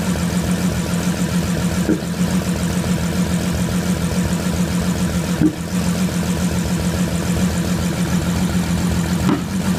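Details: Bentley Flying Spur 6.0 W12 twin-turbo at idle: hum with a faint stumble and dip every few seconds, an uneven beat; misfire caused by poor spark plugs.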